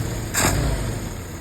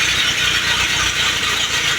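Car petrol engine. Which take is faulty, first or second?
second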